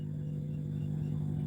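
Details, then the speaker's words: Maharaja 4 FET audio amplifier board, no input signal: steady low hum on one side; touching a wire from main ground to the input ground kills it; fix is soldering that ground. "Coming உங்களுக்கு வருதுன்னு நினைக்கிறேன் கேக்குதா இப்ப இந்த ground ஒயரை touch பண்றேன் இப்ப touch பண்ண உடனே அந்த சவுண்ட் இல்லை பாருங்க"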